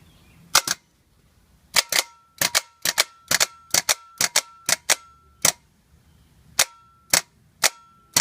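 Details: 2010 Toyota Sequoia starter removed, bench test: sharp single metallic clacks in uneven bursts with no whir; clunks, solenoid engages but starter motor does not spin.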